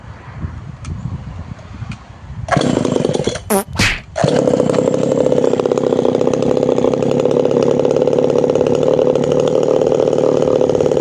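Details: Tanaka PowerMate PMS340 two-stroke pruning saw, warm, after repair of a failed fuel system that caused poor acceleration, plus retuning: it revs cleanly to a steady high-pitched scream at full throttle and drops back. Revving is now normal.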